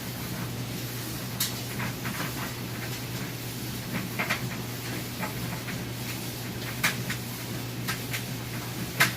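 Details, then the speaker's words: Whirlpool Roper electric dryer running with clothes: a steady low hum with soft irregular tumbling taps and no thumping or bumping. It runs stable and normal. "nice and stable. It's not bumping around, no thumping noises or anything like that."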